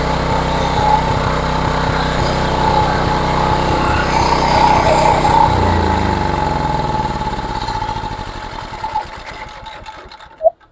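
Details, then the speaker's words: Homelite HGCA3000 3500 W generator after new carburetor and head gasket, cylinder looked damaged, running without choke and without load: uneven, stumbling beat that skips now and then before slowing and dying; misfire suspected, needs further investigation. "yeah it almost sounds like it has a little bit of a Mist there H maybe requires a little bit further investigation"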